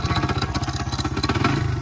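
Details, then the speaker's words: Engine knocking on a Honda XR100 or Yamaha TTR90 pit bike at idle: loud fast metallic clatter about twenty raps a second; suspected timing chain or spark plug, unconfirmed. "That's the timing chain. Can I send Hear it chipping off the cylinder? Yeah. Or do you think it's a spark plug?"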